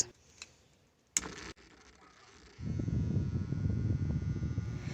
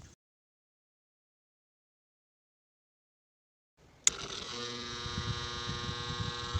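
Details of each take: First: Small clip fan, previously noisy, after oiling: steady, low, even whir with no rattle or scraping; the noise is gone and the repair worked. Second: Clip fan just switched on spins up with a steady buzzing hum and faint rapid flutter; noisy running, blades and back found full of dust, cleaning planned.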